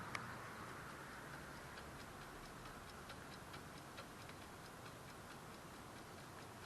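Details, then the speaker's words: 1955 Oldsmobile Super 88 left with the battery connected: faint, light ticking at about two per second over a quiet background from the dash clock mechanism; normal clock ticking. "I don't know if the camera's picking that up, but the clock's working."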